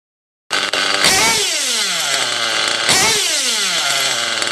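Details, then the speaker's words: OFNA Hyper 7 nitro buggy with an O.S. .25XZ engine in need of a retune: revs are blipped and hang, sliding down slowly instead of dropping straight to idle. "You'll hear it, at some points it'll drop and then it'll raise and all that. So what you want it to do is immediately, boom, drop to its idle."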